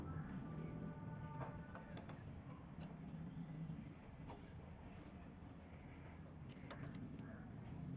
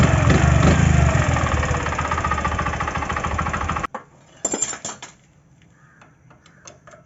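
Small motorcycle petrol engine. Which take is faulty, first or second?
second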